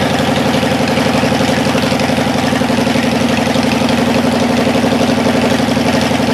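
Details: Cadillac 390 V8 started after 8 years sitting, still cold and untuned: even, smooth burble holding a slightly fast steady idle, no misses. Water pump leaking, accelerator pump boot chewed. Slightly high cold idle.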